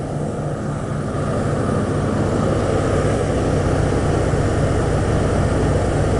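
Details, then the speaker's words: Ford F-100 cold start at about 65°F with a remanufactured Motorcraft two-barrel carb: loud, steady fast idle that stays high and will not drop; the choke is not working right and a vacuum leak is suspected. Fast idle. "warmer go ahead and shut that down a little bit hold it better and uh then it'll go ahead and kick down but like i say it does need to be adjusted some more"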